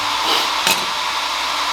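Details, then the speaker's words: Startrite 350mm 3-phase coldsaw retrofitted with a variable frequency drive on single-phase power, VFD cooling fan after powering on: steady airy whoosh with faint constant hum, no rattle; healthy fan running. "can hear the fan line and it's kind of pretty healthy little fan in there it sucks from down there and blows out the top"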